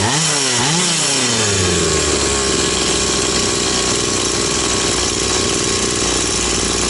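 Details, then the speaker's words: Stihl 180 chainsaw after piston and crankshaft seal replacement: revs up from idle and holds a steady clean high speed without hunting or surging; revs normal, no air leak anywhere. "Оберти нормальні. Бачите, вже всь повітря нігде не тягне."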